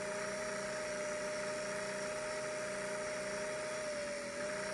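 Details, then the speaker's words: 500 series sewing machine motor whose armature and brushes are soaked with excess oil, smoking and running slow about two minutes in with the pedal held: thin high whine, nearly steady with a faint dip; it is burning off the oil. "it's burning off the oil that's on the Armature and burning the oil out of the motor brushes they're soaked with oil and it'll burn them up it'll recondition things to get back to 100% normal but you have to be patient"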